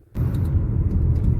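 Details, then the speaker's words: Car brakes with the factory pads, which had squeaked under light braking for about 3,000 km, now tested after cleaning the pads' clogged grooves. Under gentle braking there is only a steady low road rumble with no squeal or squeak; the fix worked. "пробуем производить плавное торможение притормаживаю притормаживаю свиста с клипа нету еще притормаживаю свистов нету так что прочистка работает работает довольно хорошо свести и скрипы лишних пропали"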